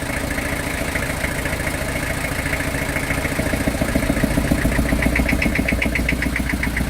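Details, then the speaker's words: Old truck, sitting a long time, run on WD40 and starting fluid sprayed in: uneven chugging about three and a half beats a second, pulses louder and choppier as revs rise; rough running, knocking less than before. "Oh, that sounded a little better, didn't it? Maybe I should keep spraying the thing."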